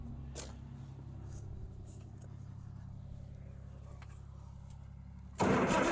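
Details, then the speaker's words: Farmall 806 tractor, long-forgotten, first start attempt: steady even starter churn about four turns a second with no drag, then a loud burst; healthy cranking. "Oh, yeah. She's ready to roll, guys. That rolled over amazingly well."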